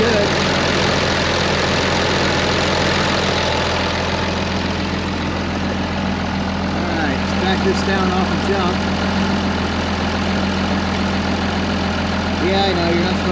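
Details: 2005 Ram 2500 diesel idling after FASS lift pump and fuel line replacement, no leaks; steady even clatter with firm low drone, no misses or knocks: normal diesel idle.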